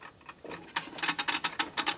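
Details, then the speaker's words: Warburton Franki WF 2 E timeswitch after cleaning: the escapement, not seized, runs with quick, light, even metallic ticking of about five or six a second, and the small second hand moves. Normal escapement ticking. "well a little hair ticks that's kind of cool little second hand in there"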